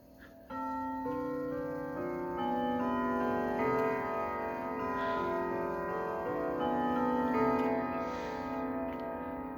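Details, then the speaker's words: Sligh triple-chime grandfather clock, recently fully repaired: clear ringing bell-like notes in a steady melodic sequence with even strikes and clean decay; normal clock chime. "all right hang on one minute as you can hear it sounds really well"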